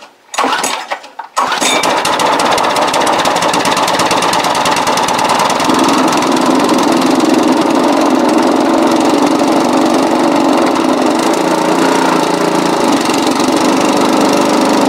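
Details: Briggs & Stratton mower engine that has sat 4–5 years, started occasionally, carb kit fitted, run with a hand throttle: it catches after a brief pull and settles into a steady, even run with a busy, rattly exhaust; normal running.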